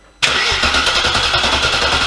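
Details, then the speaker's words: First cold start of a V8-swapped Porsche Cayman after chasing a misfire in which one bank was not firing: a quick crank catches into a strong, even, throaty V8 idle with no knocks or misfires. "the first official cold start of what I'm hoping is going to be the final note that comes from this car"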